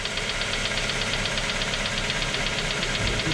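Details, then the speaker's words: Engine after hydraulic lifters and then oil pump plunger and spring were replaced: a steady knock close to three beats a second rides over the idle, slightly quieter but still present; suspected connecting rod/piston group, cause unknown. "вот он немножко стал потише но все равно он остался"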